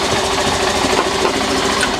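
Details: Honda CBF125 single-cylinder bought damaged (bent frame) from insurance auction, ticking over right after priming fuel: fast, busy tick-over with slightly uneven, clattery beat, keeps running but sounds rough and tired; rough idle.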